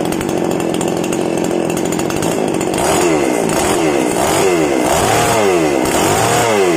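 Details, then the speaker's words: Small single-cylinder outboard motor warmed up after a gearbox oil change, about two months' use and previously sounding rough, oil suspected: high steady buzz, even firing with no roughness or knocking; running smoothly. "Kemudian kita akan memanaskan mesinnya. Alhamdulillah, ini bagus sekali."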